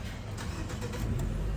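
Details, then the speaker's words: Nissan that would not crank or start after being driven in rain; water had got into a connector and damaged its pins. With the connector link bypassed it cranks briefly, starts first time and settles into a steady idle: normal start. "यह देखि गाड़ी हमारी half सल पर start हो गई है तो यह प्रॉब्लम थी जिसकी वजह से कस्टमर को भी मसला हो रहा था"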